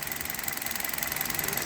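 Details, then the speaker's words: Hot Hyundai Solaris idling on Liqui Moly Molygen 5W30 after about 2000 km on this oil, 29,313 km mileage, with Chinese coil wiring harness fitted: even idle, fast light regular injector ticking, no knock; normal. "и вот так на холостых работает мотор нет никакого стука на товар стоит нет только стрекочет форсунки"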